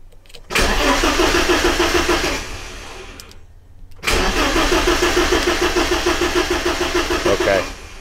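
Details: BMW E30 316, M40 engine, restarted after about 18 months with fresh fuel: two spells of steady starter cranking at about three turns a second with no firing; fuel pump heard running when cranking; cranks but won't start.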